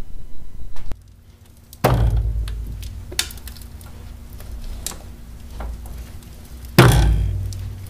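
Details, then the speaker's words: 2000 Chevy Venture minivan, driver's-side front strut with a failed upper bearing mount. Isolated heavy, dull clunks a couple of seconds apart as the front end is loaded, from the spring binding. "A lot of people describe, you know, I'm having a suspension problem and it's a thunking or it's a clicking or a banging or whatever."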